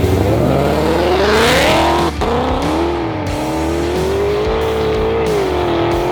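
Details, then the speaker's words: Ford GT500 on factory supercharger during a Texas Mile standing-mile run: the engine screams up through the gears, stumbles and drops out mid-pull, then pulls again. The supercharger belt had flipped off, the second belt lost. "so we found out what happened in that last run the belt actually flipped off it bro that's belt number two"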